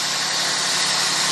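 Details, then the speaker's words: 2008 car just jump-started with a Fanttik T8 Apex jump starter (showed 10 volts before start): started right up, steady even idle with smooth hiss, no misses, knocks or surging; engine running fine. "all right car started right up right okay"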